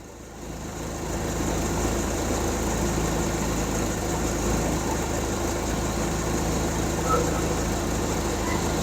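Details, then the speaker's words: Hyundai 30L-7M forklift, GM 3 L LPG engine with GCP system, idling in open loop: shaky, very rough, slightly uneven lumpy beat around 200 a minute as it runs extremely rich, with unburned-fuel smell at the exhaust; DTC 1173 becomes active. "okay you can see how it's a bit shaky this is running uh very rough"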